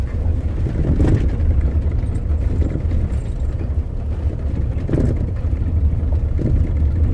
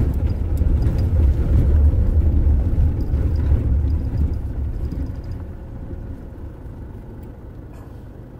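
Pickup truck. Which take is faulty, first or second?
first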